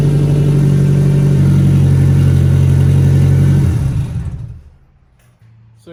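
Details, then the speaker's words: Nissan 240SX with an ISR Single GT exhaust and no muffler: very loud, deep, raspy drone from leaking exhaust gaskets, leaking into the cabin, recorded before new gaskets and a muffler were fitted. "see that this thing is stupid loud um it does have some exhaust leaks and it leaks inside the cabin since it's not full interior yet"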